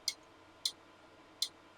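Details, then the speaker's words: Passive IBM Token Ring multistation access unit, powered by the attached stations: sharp, crisp relay clicks about half a second apart in a quiet room as ring stations attempt to enter the ring; normal relay switching. "And it uses relays that you can hear physically clicking and clacking as machines ring stations attempt to enter the ring."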